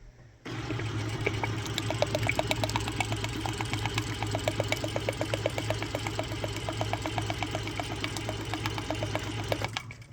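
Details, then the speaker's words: DIY food-grade peristaltic pump for maple syrup filter press, hot-water test: even rhythmic ticking about 160 a minute over steady hum and pouring water; normal running. "Seems to be working wonderful. I've got fluid flowing nicely through."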